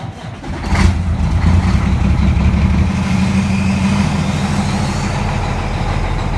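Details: 2006 Peterbilt 379 with ISX 15 Cummins diesel, cold start: catches after a short crank, heavy uneven first firing, settles into a low rough idle; hard cold-weather start, cause suspected, not confirmed.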